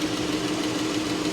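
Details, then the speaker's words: Dodge at Copart, all-wheel drive; light quick tapping over steady idle hum under the hood; a lifter tap suspected, cause not confirmed: ticking at idle. "I hear a tap under the hood I sure do I hear a lifter tap uh oh"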